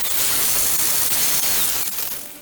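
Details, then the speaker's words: Bosch 1375A angle grinder running free with no load right after brush replacement, to seat brushes to commutator: steady high-pitched motor and fan hiss, easing off at end; runs normally. "go ahead and let that run for about 5 minutes without any load on it, so that the brushes will properly seat to the commutator."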